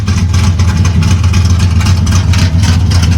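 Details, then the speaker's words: 1974 Corvette being prepped for the drag strip, at idle: very loud, deep V8 burble with a hard, choppy pulse from exhaust completely straight-piped on one side, likened to NASCAR; loud straight-piped exhaust. "we have to secure the exhaust because as you can see it is completely straight piped on this side and it sounds like a legit NASCAR it is way too loud"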